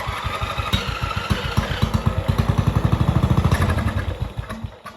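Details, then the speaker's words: MTD Yard Machines mower with 14.5 Briggs engine, sat over five years: runs only on starting fluid, uneven chugging that stumbles, picks up briefly, then dies as fluid burns off; carburetor fault, bowl found badly fouled. "Okay, this thing does run off of starting fluid. But it is clear that the carburetor is not happy."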